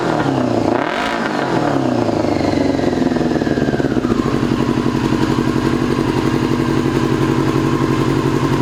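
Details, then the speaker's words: 2002 Yamaha YZF R6 carbureted four, restarted after sitting 6 years, bad rusty gas previously cleaned from the tank: starts and settles into a lumpy, stumbling idle, one cylinder apparently not firing; owner suspects a gummed carburetor or fouled plug. "I feel like one of those carburetors is gummed up. I feel like it's only running on like 3 cylinders. Could be a foul plug, or it could be carburetor's gum."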